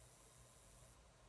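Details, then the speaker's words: Taylor 414ce acoustic guitar into Marshall amp, mid settings, new Monster cable; steady high-frequency hiss, fizzy top end drops when touching plastic around the input jack, varies with treble; owner suspects grounding issue, unconfirmed. "thinking maybe that would help with this grounding issue, but you can probably hear it's still there. If I touch the back of the guitar where the quarter-inch jack goes into the input, it goes away."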